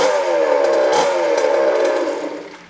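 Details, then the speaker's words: Small two-stroke after rebuild (previously smoky, running badly, low compression): high-pitched fast buzzing note held at steady high revs, fading as it rides away, like a very angry chainsaw; runs clean and strong. "oh yeah I believe it sounds it I mean it's Heap safe have a go sounds like a very very very angry chainsaw"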